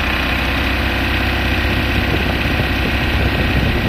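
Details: Mahindra Maxximo diesel with low pickup, codes P0193 and P0118, tops out at 30-40: low rumble holds same pitch as throttle is given; won't rev, rail pressure and coolant temperature sensors suspected.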